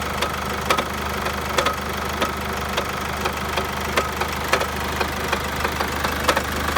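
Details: Chevrolet Captiva 2.2 diesel: uneven heavy knocks about every second over a steady idle, coming from the oil pan area. A cracked flywheel knocks at low revs and the knock disappears as revs rise.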